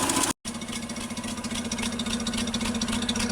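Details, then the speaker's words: Land Rover Series 2 farm find, sat for years in a paddock, first start: even, steady idle with soft regular pulse about 220 per minute, no smoke, knocks or misses; runs smoothly, though carburetor probably needs a kit or replacement. "That's it, purring away there. Very smooth, no bad noises. Sounds like a Land Rover."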